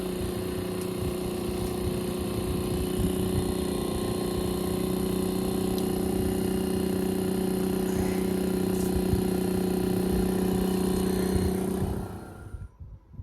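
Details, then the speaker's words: Fujitsu Halcyon heat pump with 5 amber/9 green compressor motor fault, running in heat mode: loud steady hum with rough rapid pulsing under the fan; compressor sounds unhealthy and noisy. "let's see how this one's running now though sounds like trash that's probably why you're going through wires here"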